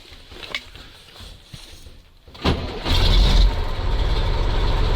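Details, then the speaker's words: MAZ diesel truck stored 15 years at a military unit: quiet cranking, then it catches at once into a steady, even rumble. Healthy start, with charging and tachometer working. "Я МЗ. Легенда. Очень хорошая новость. Живой."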